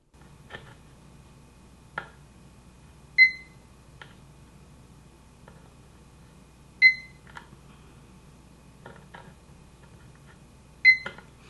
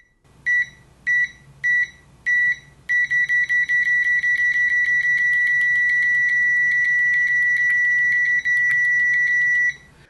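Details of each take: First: Uni-T UT161D multimeter in diode test on a red LED: three short high chirps after probe-contact clicks, indicating a good diode. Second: Uni-T UT161D multimeter continuity test with fast repeated probe contacts: four short beeps, then the high tone stays on almost nonstop as the beeper latches, with confusing pauses and an abnormal red-then-green indication.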